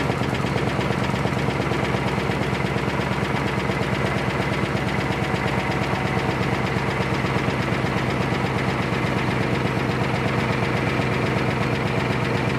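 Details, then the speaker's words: 2003 Chevrolet Suburban after fuel pump and fuel line replacement, leak test done: engine catches and settles into a steady, even idle with no misses, knocks or fuel pump whine; healthy running. "All right, leak test done. Engine running."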